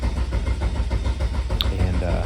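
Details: Eagle Talon with an SRT4 Eclipse engine swap on MegaSquirt: even starter cranking, about 7 compression pulses per second, that never fires; the crank sensor signal is losing sync (desyncing). Plugs checked fine.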